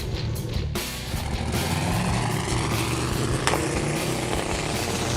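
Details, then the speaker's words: Turbocharged Maserati 2.0 at the drag strip on the last pass, fresh battery and no alternator, after a pedal, throttle-body or wiring fault was suspected: loud, ragged, uneven engine note under heavy throttle, then smoke and oil all over the track. "It sounds horrible. It sounds awful."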